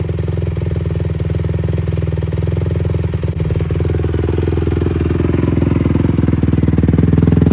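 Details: Rebuilt 2007 Honda CRF150R started after the rebuild (seals noted as installed wrong): crisp, even single-cylinder pulses climb smoothly as the throttle opens, with no clatter or misfire; the engine sounds healthy.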